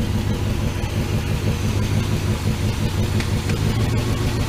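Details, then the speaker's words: 1979 Dodge D100 Adventurer pickup V8 revived after sitting, just started with oil pressure: deep steady burble, even low rumble, no knocks or misses; smooth quiet normal idle. "It's so quiet."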